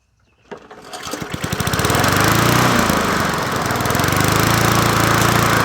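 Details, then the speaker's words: Old free Murray 20" push mower #20201D, running with a substitute air filter fitted; pulls over, catches, then runs at a steady pulsing beat with slight wavering surge; crankshaft found bent and needing straightening — bent crankshaft. "I was going to make it a part one but we got to do some work to it the crankshafts uh need to be straightened out"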